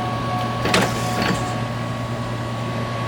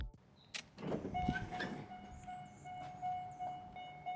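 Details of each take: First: C5 Corvette headlight motor after replacing its stripped gear with a brass gear, lowering: steady, even motor whir with a couple of soft clicks, no grinding or gear chatter; no more noise, headlight motor sounds healthy. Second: C5 Corvette pop-up headlight retracting: faint clicks, then loud harsh grinding for several seconds; stripped plastic headlight motor gears.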